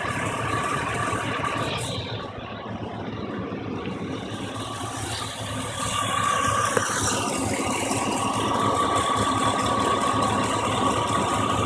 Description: 3 of the eight spark plugs were shaking on my 5300 Vortec causing a misfire and hard starting.